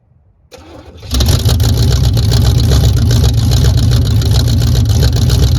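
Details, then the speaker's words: 1978 Camaro V8, no choke, second-day start on freshly charged battery at about 45°F after failing at 16°F: brief crank, catches at once, strong steady deep idle without misses or knocks; normal start and idle. "there we go guys little bit warmer weather definitely helped it's about 45 out here now"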